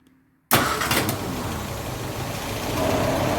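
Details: 1953 Austin A40 Somerset after an ignition tune-up that stopped popping back through the carburetor: quiet, then the engine catches at once and settles into a steady, even idle with no stumbling. Clean, healthy start.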